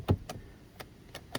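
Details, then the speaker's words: 2015 Buick Verano driver power seat working intermittently: six sharp clicks about every fifth of a second from the seat motor without the seat moving, meaning motor and voltage are good; diagnosed faulty power seat switch, to be replaced. "so i can hear the motor clicking and pushing this switch backwards and sure enough sometimes it goes and sometimes it doesn't"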